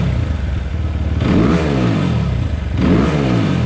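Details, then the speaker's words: 2020 SSR Motorsports SR300 with new Lectron carburettor, slack removed from throttle and idle turned down: two sharp, clean blips climbing quickly and falling smoothly, no hesitation or bog; normal free revving, far better than stock carb. "this sounds a lot more like a race bike now doesn't it holy crap what a difference"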